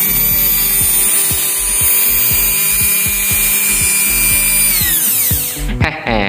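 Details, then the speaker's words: Panasonic blender motor after reassembly with brushes and retainers refitted, run directly on mains at two pins: high, smooth steady whine winding down at switch-off, soft not harsh; slight sparking considered normal as armature commutator is slightly worn; normal running. "ya untuk suara sangat enak banget didengar suaranya lembut tidak kasar"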